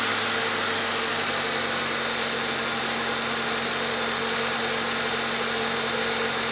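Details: Normal idle of a 1997 Jeep Wrangler TJ 2.5L after repair of the exhaust manifold leak (new manifold gasket, missing stud replaced, 4.0L throttle body fitted): steady, even, calm tone, no ticking or puffing, sounds sealed and healthy.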